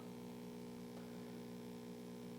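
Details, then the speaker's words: 1960s Zenith MJ1035 AM/FM tube radio, first powered up on a variac through an isolation transformer, volume down: a steady low mains hum from the speaker that grows louder as voltage rises. "ah interesting we've already got a little bit of AC coming out of the speaker maybe you can hear that and it gets louder as we bring this"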